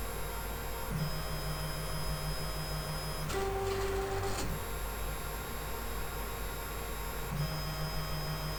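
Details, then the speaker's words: 3D printer X carriage with new webcam bracket, during homing/levelling: about a second of rough, gritty rumble with droning tone over steady fan hum; owner suspects loose linear bearings on the smooth rods, possibly a ball out, recently greased. "You know this noise, I'm pretty sure it's the linear bearings rotating in at least one of the bearings, and it's so bad it's making me think that somehow one of the balls has come out and they're very loose."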